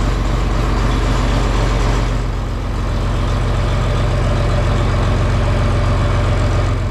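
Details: John Deere 4020 tractor just started on a battery charged overnight and left to heat up, in the shop for a hydraulic leak up front. A steady, even low diesel chug at idle with regular firing beats and no knocks or misses. A healthy warm-up idle.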